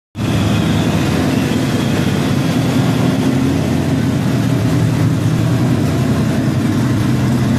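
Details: LQ4 V8 with a Comp LSR cam and FAST 102mm intake, warm: steady, even idle with a lumpy cam note, sitting slightly higher than it should. High idle.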